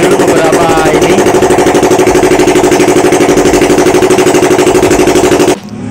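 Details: Yamaha R25 bored up to 280cc after piston, cylinder and bearing damage, with Power Commander, first start after rebuild: strong, even beat at fast idle for five seconds, then clean cut-off; normal running, no misses.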